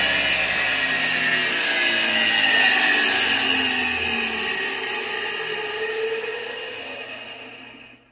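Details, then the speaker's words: Iveco 12 V alternator on the bench (customer says it isn't charging): high steady whir; the pulley stops but the rotor keeps spinning inside and fades slowly, a faulty slipping overrunning freewheel pulley. "A polia parou aqui, lá dentro continuou rodando, né? A inércia, né? Continuou rodando. Fazendo barulho."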